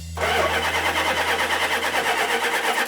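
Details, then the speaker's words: 1972 Dodge Charger Rallye turns over but won't start; steady cranking with occasional weak pops that never catch, the cylinders sounding a little different between attempts. Misfire from spark plug wires installed in the wrong firing order. "try cranking it nope yep crank it tell the difference they're sounding a little different"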